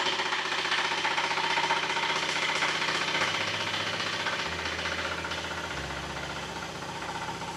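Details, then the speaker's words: Fusheng HTA-100 air compressor: loud hard knocking about three times a second over the clatter when the tank has no pressure, quieter once pressure builds; machine otherwise runs normally; owner suspects the rod set, teardown pending; connecting rod bearing knock. "ไม่มีแรงดันอยู่ในถังอ่ะมันจะดังลั่นเลยไม่รู้มาจากอะไรน่าจะเป็นชุดทุกข้อเดี๋ต้องรื้อแล้วแต่เครื่องใช้งานดีนะไม่มีปัญหา"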